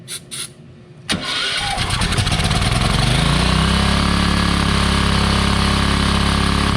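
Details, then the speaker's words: Wen 8750/7000 W pallet-auction generator bought as not running, started with starting fluid on stale gas, carburetor likely gummed: fires first pull and climbs to a hard, fast, even drone that stays high; running too fast, cause unconfirmed. "I noticed it was it was revving pretty good it shouldn't be running that hard"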